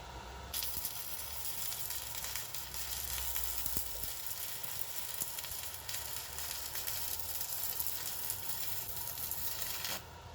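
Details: Pampa Hogar ARC 200 inverter stick welder, 160 A, slag-producing rod: even crackling sizzle of a steady arc for about ten seconds, no pops or dropouts; welder burning smoothly.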